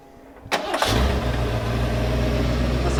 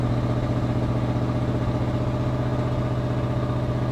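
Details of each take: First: 1991 Ford F250, rebuilt 351 Windsor V8 converted from EFI to carb, after idle screw adjustment: catches within a second and settles into a steady, even low rumble; normal idle. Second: 1991 Ford F250, rebuilt 351W converted from EFI to carburetor, E4OD transmission, warming up right after first start following controller install: deep V8 idle with a slightly uneven pulse, about four beats a second; owner suspects a miss.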